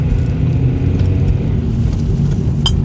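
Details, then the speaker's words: Nissan Sentra in for two front wheel bearings diagnosed 4–5 months earlier, driven at about 15 mph, heard from inside: heavy, steady low roar with a hum underneath, no rhythmic knock; badly worn front wheel bearings. "Wow, these things are bad."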